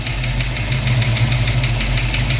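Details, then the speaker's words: Ford Mustang engine idling with sharp steady ticking from a loose exhaust rocker arm, clattering badly; adjusted while running to quiet it. "it was just quacking like crazy I know it looked like it was running kind of funny"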